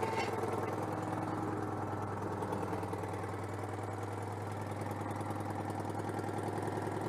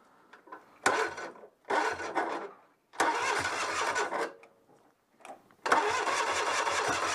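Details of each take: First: Citroën 2CV AZLP6 flat-twin with new centrifugal clutch, cleaner residue still leaking: low putter that never settles, slightly uneven idle; owner attributes rough running to disconnected crankcase breather. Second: Citroën 2CV AZLP6 engine on test after centrifugal clutch install, wired direct without ignition key: several short bursts of old-style starter whirring, then it catches and runs loud and steady without exhaust; works perfectly.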